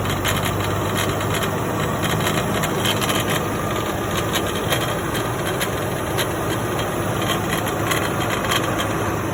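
An irregular dry rattle clatters over a low running drone at idle, so the power take-off unit is rattling internally. Cause suspected, not confirmed.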